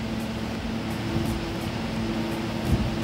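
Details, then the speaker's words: Eberspächer Espar Airtronic AS3 D2L heater on test bench, self-test with suspected defective ECU: steady even hum of combustion air fan, smooth low drone, no rubbing or rattle; fan runs normally though faults return. "And we will do a self-test of the heater. Let's see. The fan should start."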